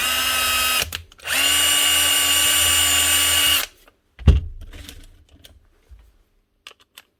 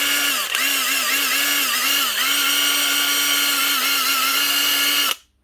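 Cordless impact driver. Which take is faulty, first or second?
second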